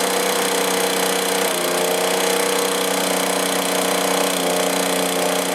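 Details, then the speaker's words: Stihl BR450 two-stroke blower that runs then chokes out, on clean two-stroke fuel, after half-choke start: buzzy note drifting and wavering in pitch, won't hold idle. "Throttle doesn't seem to want an idle so I'm going to try to set the low side a little B"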